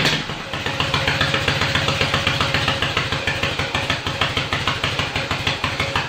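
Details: Yamaha XS650 dual sport build with a larger carburetor kit, kick-started after sitting overnight, a day after its first start: steady, even twin thump at a fast idle through open exhaust with no knocks or misses; normal idle.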